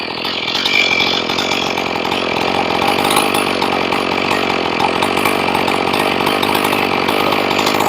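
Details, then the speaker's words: Ported Stihl 461 chainsaw, warm after a brief stop, low-speed mixture screw being adjusted from 1¼ turns out: raspy two-stroke buzz holds steady, then idle rpm climbs as the screw is turned clockwise toward target idle. "All right. So, I'm going to turn it down clockwise. Clean it out a little. Going back now. Got the engine coming up."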